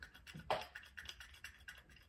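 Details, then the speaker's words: Max Pro power clutch set to level one (almost no resistance): its five clutch plates give light, loose clicking rattles about three or four times a second because the springs controlling resistance are barely loaded. "So that rattling noise is coming from the five clutch plates because there is actually hardly no resistance whatsoever."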